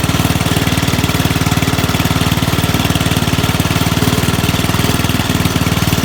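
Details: Dump-find Rugg carpet-cut tractor after carburetor cleaning, run outside; muffler toast, owner expects less backfire with a new one. Regular even firing thump at steady pace under light load, no misfires or popping; normal running.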